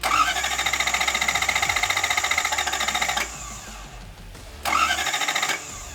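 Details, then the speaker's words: 1UZ V8-swapped 1989 Toyota Pickup, cold, with a newly replaced starter (the old one spun without engaging the flywheel): crisp, even cranking at about four turns a second, a pause, then another clean crank; starter engages properly. "starter is officially replaced everything is put back together safety starts"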